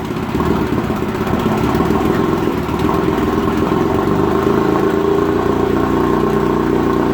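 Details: 1956 Evinrude Fastwin 15hp two-stroke outboard in a water bucket, after converting its dual-line pressurized fuel system to single-line with a fuel pump: catches and settles into a steady, even drone with no misses or surging; runs cleanly.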